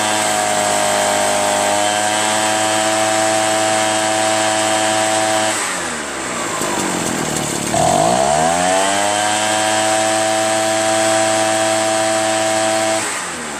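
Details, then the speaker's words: Echo PB-403T two-stroke backpack leaf blower after carburetor cleaning, magneto reinstall and high/low mixture screw adjustment, kill wire disconnected: strong steady howl at even revs, one brief dip with clean recovery; normal running. "Seems to run pretty well, man. I just need to connect that kill wire though. Which I better not do while it's running."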